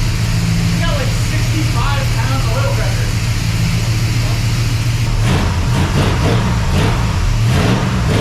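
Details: Freshly rebuilt 400ci small-block Chevy V8 (new bearings and rings, machined crank) in a 5-speed S10, first run; loud, steady, smooth drone under load, no ticking or knocking. Normal running.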